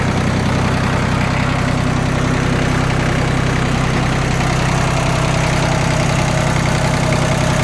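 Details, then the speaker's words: Yanmar F16D 4x4 diesel compact tractor, all fluids changed with new antifreeze and oil filters: even, steady diesel clatter at idle with a regular beat, no miss or extra knock, no smoke; engine sounds good. "Engine sounds good. All the fluids have been changed."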